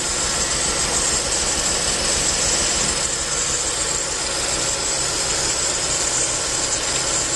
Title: Hissing sound